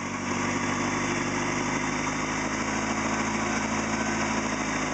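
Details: Mitsubishi Talon on its new motor, idling after a spun rod bearing was replaced with other bearings: smooth, even idle with a steady low hum and no knocking or ticking heard, so the bottom end sounds healthy for now.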